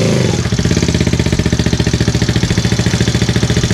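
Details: Benelli single-cylinder bike with 1500 miles, first start after 6-disc clutch kit and stiffer springs fitted and oil refilled: even, steady idle thump with no slipping or clatter; idles normally.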